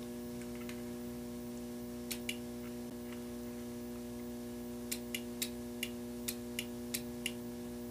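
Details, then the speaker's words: Car relay bench-tested out of the vehicle, with its coil energized by a power probe connected to a battery: sharp, crisp single clicks, about eight, over a steady electrical hum as the coil closes the switch for the higher-amperage circuit. The relay operates normally. "if you guys can see that relay activating so we're energizing the coil and it's closing the switch for the higher amperage circuit"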